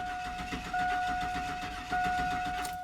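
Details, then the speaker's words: 2002 Chevy Silverado 4.3 L that died while driving, cranking with starting fluid sprayed into the air cleaner tube and a weakening battery: steady starter cranking just under one beat per second with no catch or firing; not fuel starvation, ignition fault suspected. "so it's still a crank no start condition after spraying starting fluid in the air cleaner tube so we don't we most likely don't have a fuel starvation problem because if we did it would have started for a couple seconds and then die"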